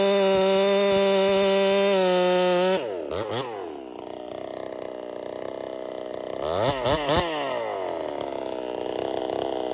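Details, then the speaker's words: Holzfforma 372 chainsaw with a big bore kit, heavy porting and advanced ignition timing. It screams in free air, then bogs in the cut with uneven popping and won't rev out; timing is suspected too far advanced, so it was returned to stock. "all right so I wasn't happy there uh she had this little popping thing going on she doesn't want to rev out really well so I'm suspicious that the timing was actually too far Advanced"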